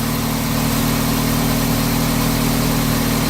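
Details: 2006 Dodge Stratus, first start after water pump replacement: steady, even idle hum with a constant low beat and no ticks, squeals or misses; sounds healthy (a screech appeared later, owner suspects harmonic balancer).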